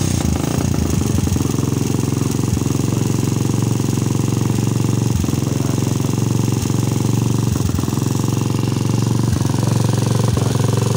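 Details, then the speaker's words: Rusi 150 motorcycle idling with a steady, even low thump and no knocks or misfires. This is after it had no spark and a new spark plug cap was fitted; it now starts and runs with no other faults. "umandar na siya So Okay lang wala ibang sira to"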